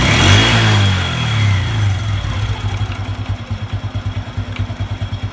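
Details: Honda Revo 110 (old Revo "jangkrik"): after a quick rev the engine drops to idle with a steady knock about three times a second; intermittent. Unsure whether clutch or loose primary, source not yet confirmed.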